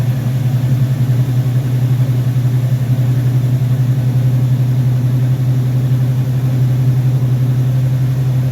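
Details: Rebuilt Rochester Quadrajet 7029202 from a 1969 Corvette (ethanol-damaged fuel bowl cleaned up), first start after rebuild: steady low V8 burble with even beat, no misfires or rattles; normal clean idle.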